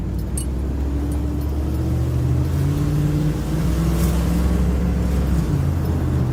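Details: 2005 Dodge Ram 1500 4x4 driving after its noisy rear axle was swapped for a salvage-yard 2003 unit; the old one was noisy on acceleration. Steady road rumble, smooth engine pull, no whine, howl or clunk. Normal driving.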